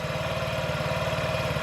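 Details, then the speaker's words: 2017 Honda Ruckus NPS50 50cc four-stroke scooter during idle adjustment, tachometer just under 2000 rpm: a slow, lumpy low thump at idle with an uneven beat, sounding about to die. Idle screw set too low. "it's just under 2 000 sounds like it's about to drop out"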